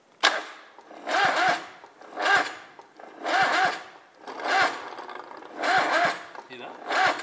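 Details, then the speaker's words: Big block engine in a Daihatsu midget build cranked with a starter meant for a smaller engine: slow, heavy laboring cranking about one turn per second, never catches; undersized starter struggling. "really laboring to turn though isn't it now it seems like we then we noticed the starter motor housings have some slight differences and we're currently trying to crank a big block with a starter meant for a [ __ ]"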